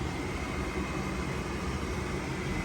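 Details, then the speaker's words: Goodman gas furnace after repair, error code cleared: draft inducer motor starts with a steady low even whirring hum, no rattles or bearing noise; normal inducer operation before pressure switch closes and igniter lights. "Now here you guys see we're not getting a code anymore, which is perfect. Inducer motor is on."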